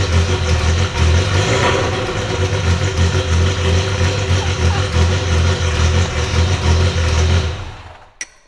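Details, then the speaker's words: 1980 Ferrari 308 GTSi V8, about 200k km, engine and gearbox rebuilt after a 2018 breakdown, at its first start in 5 years: a strong deep rumble that picks up crisply on throttle blips and settles evenly. It runs healthy. "I'm so happy after 5 years this was my Ferrari 308 finally it started and I started it myself"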